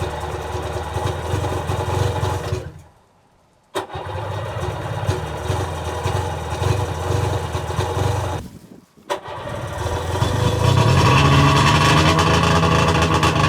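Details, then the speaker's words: Sea-Doo 717/720 two-stroke first start, ice cold, after full top-end rebuild with new rotary valve and intake O-rings, idle screw turned fully down; fires, cuts out twice within seconds, then holds a steady buzzing idle. "So we took the idle all the way down in case she goes running away or something. But we're gonna fire it up and see what happens."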